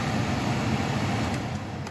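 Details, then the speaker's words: 2011–2017 Hyundai Accent blower motor after replacement (old one would not run): steady, smooth whoosh of air with even low hum, no rattle or squeal across fan speeds; normal blower operation. "it's working again that was a quick easy fix"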